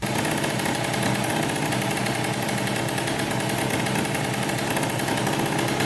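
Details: 2003 Polaris Sportsman 90cc two-stroke ATV after new top end and oil pump, running with the oil line off to check pump flow, which was confirmed. Fast even buzzing idle with a steady high rattle, no hunting or misfires; normal running.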